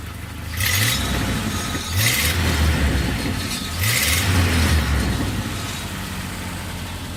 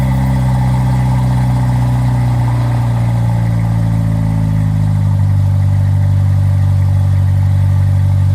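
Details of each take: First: 1997 Jeep Wrangler 2.5 four-cylinder with 251,000 miles, old exhaust before replacement: three quick revs with a rough, raspy rumble that swells and fades; the old exhaust sounds tired and loud. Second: 1997 Jeep Wrangler 2.5 with new front pipe, MagnaFlow cat and Flowmaster Super 10: deep, even four-cylinder rumble settling from fast idle, then revving cleanly with no rattles or leaks; exhaust healthy.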